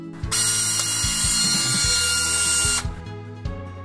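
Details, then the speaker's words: Canon 6D Mark II buzzing at power-on, sometimes even when switched off with the battery still in: a loud, harsh electric buzz with thin high tones, caused by the shutter drive. "Canon 6D Mark 2 гудит при включении и иногда даже если выключить но не вынуть"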